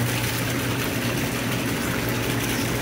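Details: Whirlpool Cielo jet tub pump motor, earlier stuck humming and freed by prying the fan blade: steady low hum with water rushing and churning, even and unbroken; pump running normally.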